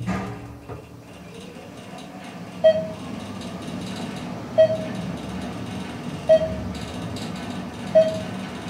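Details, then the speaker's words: Parking-garage traction elevator riding to the lobby after a Thyssenkrupp modernization with a Hollister-Whitney drive: quiet, even low hum with a soft chime as floors pass; very smooth ride that levels quickly. "well it's very smooth that's for sure it's nice it levels really quickly and it has hollister whitney equipment up there"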